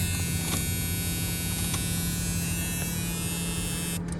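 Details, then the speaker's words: 1976 Camaro: AC not hooked up and nonfunctional, heater and fan work well. Even constant-pitch motor hum without rattle or scraping; heater blower running smoothly. "ac is not hooked up uh all the pieces are there for it does not work the heat does work well with the fan and everything"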